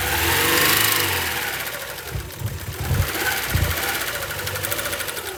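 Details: 1999 Honda Prelude, 113k miles, dies after about 30 minutes idling warm, suspected flooded rich; during a spark check, throttle blipped, uneven stumbling lumpy beat around four pulses a second, likely overfueled: rough running.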